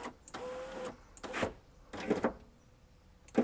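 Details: Driver's-side window regulator on a 1999 Porsche Boxster 986, replaced with the original motor reused to cure grinding and a failed window-drop on door opening; short, clean motor runs with a steady whir, no grinding or binding; regulator now works normally.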